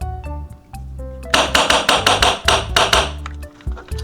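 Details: Backdraft Phoenix HPA engine fitted in an old airsoft gun, dwell being turned down on the Catalyst: sharp hammer-like cracks in uneven bursts over a quiet hiss; at the lowest workable dwell it still cycles and fires, below that it cannot fully open.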